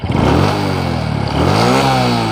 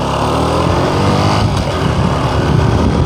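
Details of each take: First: Honda Supra X 125 Karisma after new parts fitted, road test: engine revs cleanly through the gear, pitch climbing smoothly without slipping or rattling; sounds heavier and pulls better, climbing hills more strongly. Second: Honda Supra X 125 Karisma under full throttle uphill: the engine screams at high, flat revs but the bike pulls slowly. The cause is worn centrifugal clutch shoes, whose linings are nearly flat with the grooves almost gone, slipping.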